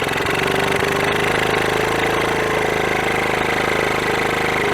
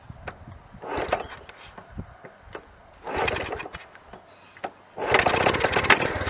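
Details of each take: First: 1981 Honda CT110 Ag Trail barn find after decades stored, first start after freeing stuck carb slide: small single chuffs quickly with raspy, hollow sucking over the exhaust, slightly smoky; loud induction noise because no airbox is fitted. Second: 1981 Honda CT110 barn find, first start after decades, choke on, no airbox: it catches on the second kick and settles into a fast, uneven, sputtery putter with induction noise. It is smoky from oil put in the cylinder.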